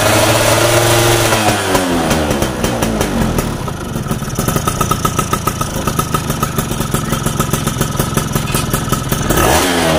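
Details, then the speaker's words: Yamaha F1ZR two-stroke motorcycle, which sputtered badly on low-end acceleration after getting very wet, with the carburetor needle clip raised from position one to two: clean idle and quick revs without stumbling; now running normally. "oh yes, so for this, it's finished, it's normal, just walk because the roads here are bad"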